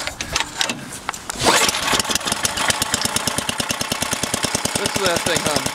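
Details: Craftsman 10 hp 28-inch snowblower, apparently after carb kit and head gasket rebuild, cold start: fires quickly into an even, rapid putter settling to a steady idle while still cold; runs clean.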